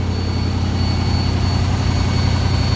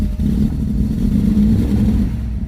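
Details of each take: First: 1974 Ford F250 High Boy with Sniper EFI, warming up after cold start: thin steady high whistle over deep even V8 idle from the fuel return side; owner suspects fuel restriction, unconfirmed. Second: Cold start of a V8 with fuel injection, still learning its idle: deep steady idle with no whistle, unlike the 1974 Ford F250 High Boy with Sniper EFI problem; normal cold idle.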